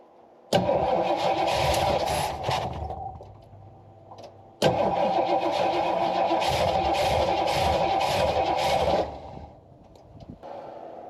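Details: Jeep Wagoneer with a suspected Quadrajet carb, choke apparently removed, trying to pour gas into the bowls: two bursts of steady cranking about three to four turns a second, never catches. Likely fuel starvation; cranking, no start.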